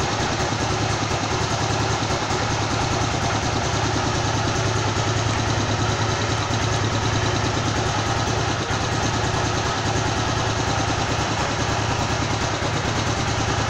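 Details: Honda CG motorcycle engine rebuilt to 262cc (CG 260R project), just finished: low, steady single-cylinder thump at about 1,500 rpm idle with no ticks, knocks or hunting; a smooth, healthy tickover.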